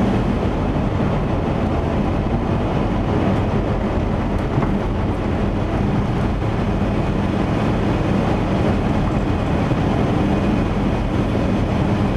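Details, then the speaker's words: 1977 Chevy van at road speed after exhaust repair: steady, even low rumble with no puffing, ticking or rasp; normal exhaust while driving. "so this is kind of a wrap up of what we did and what we had done and now you can hear it runs a lot quieter so that's always a good thing"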